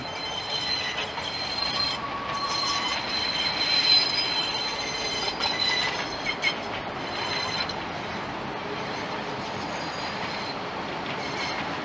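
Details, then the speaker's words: Train wheel squeal near 4000 Hz over rolling rail noise on tight curved track near a Hong Kong depot. "So this noise is to let you hear the squeal noise. This is very difficult to find in Hong Kong There is not many squeal noise This is only close to the depot This is the squeal noise at high frequency, 4000 Hz"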